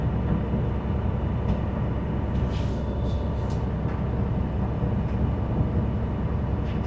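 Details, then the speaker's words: School bus diesel at high idle during the air gauge governor cutoff check, building air toward 120–140 psi; steady even rumble, no knocks. Normal air pressure build-up, cut off with gauges between 120 and 140. "We're going to make sure that our gauges reach 120 to 140 or cut out. And I'm going to go ahead and turn it on the high idle to facilitate this building up."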